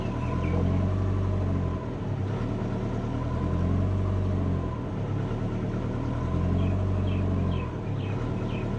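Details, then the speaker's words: Subaru Forester on Haltech ECU, idle tuning with O2 closed-loop control on, long-term fuel trims disabled, proportional gain at 75: after a throttle blip the idle keeps swelling and sagging and can't settle; idle hunting. "Still trying to get back. Still going. It's pretty bad, isn't it?"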